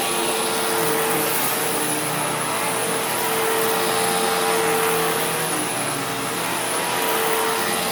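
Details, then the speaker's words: Newly acquired Sharp Twin Energy vacuum (no height adjustment) on carpet: a piercing steady whistle over the rushing air. Owner suspects air pulled behind something causing interference; source not yet found. "camera, but it's like a squealing or a whistling. It sounds like there's air being pulled behind something where there's a bit of interference."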